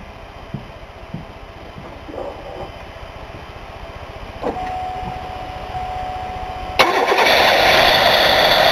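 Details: 1993 Buick LeSabre after fixing a coolant leak between intake and throttle body, throttle body cleaned and refitted, air box off: quiet clicks, then starter catches and engine fires into a steady, even idle; normal start.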